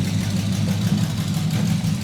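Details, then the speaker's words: Packard custom restoration, engine with exotic dual carburetors on first start-up, exhaust not fully installed: a deep, steady low rumble that lays right down to idle and purrs smooth, with no misses or ticks. "It lays right down to idle and just purrs smooth. Look at that."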